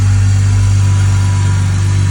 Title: 330 Ci E46 cold start whining noise